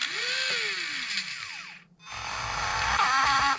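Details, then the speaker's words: Motor in a Traxxas Slash no-prep street build, pinion removed: smooth spin-up whine, then at full throttle a harsh ragged rattle and buzz; motor believed burnt out and needing replacement. "I took the pinion off just so y'all could hear the noise in the motor. That's what it's supposed to sound like. But if you pull full throttle, motor does that."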